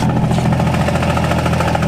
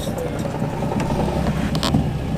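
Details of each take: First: Car with newly installed engine and new flywheel, cold start: rattly, uneven chatter over a lumpy idle with the clutch out that goes away when the clutch is pressed; harmless flywheel chatter. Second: Fresh replacement engine with new lightweight flywheel, 20W-50 oil and solid engine mounts: steady, even idle with the clutch pressed and no rattle; the flywheel chatter heard with the clutch out disappears, a normal idle.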